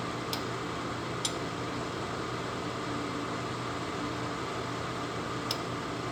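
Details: Lasko 1500 W, 12.5 A plug-in electric fan heater with thermostat, cold air in top, hot air out bottom, on concrete block and gray rug; steady even whoosh, only a couple of faint clicks, no rattles or scraping: normal running.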